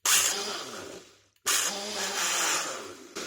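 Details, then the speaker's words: Roughly nine-year-old Nutribullet blender run with a little water: harsh, high, hissing shriek each time it runs; owner suspects the blade-shaft seal has gone, possibly water inside, grime noted. "doesn't sound good does it it's like a oh it's probably got water all in it isn't it maybe that Seal's gone so is it dead or if it's not it soon will be if it's making noises like that"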